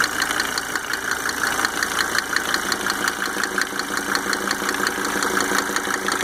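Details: Mercedes 300D W124 2.5 L diesel idling after installing five newly rebuilt injectors with Monark nozzles: light, fairly regular ticking near three per second over steady idle; source not identified.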